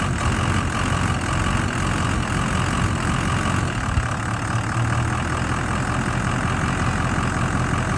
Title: 6.0 rough idle improved but still present after revX